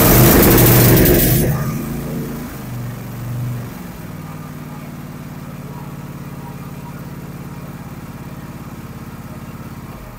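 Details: 44 cubic inch V-twin zero-turn mower after a tune-up (fresh oil, new oil filter, new spark plug, cleaned air filter), started on choke: it catches with a loud burst, then settles into a steady, even idle with no misfires.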